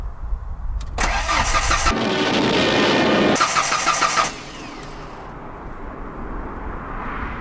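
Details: 1994 Ford Ranger with only vodka and Red Bull in the fuel tank. A steady, quick starter churn lasts about three seconds with no firing or pickup, then stops. It cranks but won't start.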